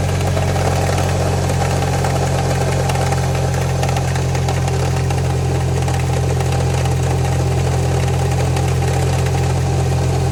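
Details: Subaru EJ20X engine at idle: deep steady idle with a faint repetitive knock around three per second; suspected rod knock, unconfirmed.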